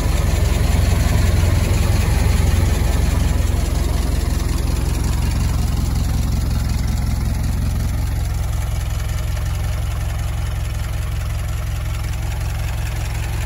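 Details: Barn-find Ford Model T farm truck, first start in many years after simple repairs: low even chuffing idle at slow steady beat that smooths out and settles; normal idle.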